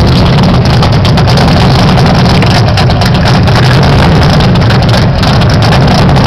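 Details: 1978 Pontiac Phoenix with 355ci small-block Chevy V8, 650 Proform double-pumper carb, Vic Jr intake, 3-inch pipes into 5-inch race bullets: loud heavy loping exhaust rumble at idle; rough idle, carb still needs final adjustment.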